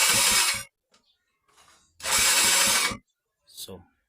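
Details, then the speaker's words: Motorcycle hard starting: two short bursts of starter whirr with quick chugging pulses, neither catching; long cranking blamed on weak electrical current, cause not yet confirmed. "yan tagal siya umandar so Mahina na yung ano niya Mahina na yung kuryente niya"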